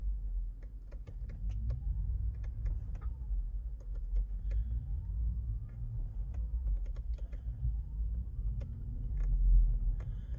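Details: 2019 Tesla Model 3 at slow speeds: the motor whine rises and falls, with sharp clicks and light clunks from under the car when the throttle is released and gently reapplied, more pronounced at certain speeds. Owner suspects something loose.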